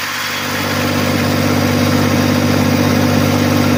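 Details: 1994 Massey Ferguson 1035 DI tractor diesel at idle: steady low hum, even firing beat, clear tones underneath; normal, healthy idle.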